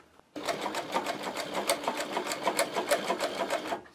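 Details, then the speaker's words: Podolsk sewing machine with a servo motor, sewing thick leather (a scooter seat) with thick shoe thread, at low speed set by the pedal, max set to 500 rpm; even stitching clatter about three beats a second, no motor grinding or whine; normal low-speed running. "Скорость вполне достаточна. Я регулирую это с помощью педали на низких скоростях."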